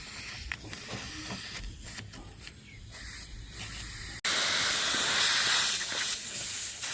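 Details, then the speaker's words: Refrigerator under repair, system pressurized to about 10 bar through a soldered valve for a leak test: a soft hiss, then a sudden loud, steady rush of escaping gas. The refrigerant leak is at the return line; the capillary tube was also found clogged. "Xo'p, hozir 10 bar atrofida damladik, o'sha maytdan ovoz kelyapti."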